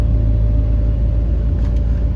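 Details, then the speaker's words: Chevy cab-over van's 350 V8 just after a slow start, an engine that leaks a lot of oil but burns none: a steady, even low rumble with no knocks, ticks or misses. A smooth, good-running engine. "it's got a really good running 350 in it I'm going to hang on to that for another project"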